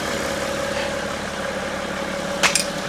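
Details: 2012 BMW X5 diesel after EGR cooler repair, buttoned up: engine holds an even, steady idle with no knocks or misses, one brief handling clatter near the end; healthy idle.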